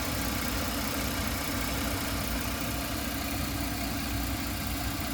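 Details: 1999 GMC Safari 4.3 V6 Vortec, starts and runs fine, poor mileage around 11.7 mpg, no codes: steady idle with a constant airy sucking hiss; vacuum or intake leak suspected but not found, carb-cleaner spray changed nothing.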